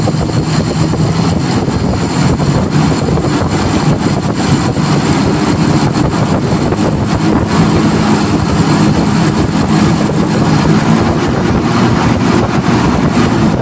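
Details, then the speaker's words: Toyota Kijang Kapsul 7K carburetor being set: as revs rise the idle circuit cuts out abruptly and the primary takes over, a harsh sudden step because the primary is relatively large; abrupt idle-to-primary transition. "Sudah langsung hilang tadi yang stasionernya langsung putus gitu ya, pindah ke primer karena primernya termasuk relatif besar nih."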